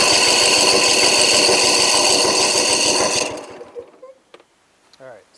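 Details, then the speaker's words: Briggs & Stratton 24 hp twin on a Husqvarna mower, revs high but loses power under load, throttle wide open while cranking: one cylinder builds 145 psi, this one doesn't; even cranking about three beats a second; low compression, possibly valves or a blown head gasket. "obviously I have a problem on that cylinder there not building compression could be valves could be blown a head gasket both of them are notorious on this motor"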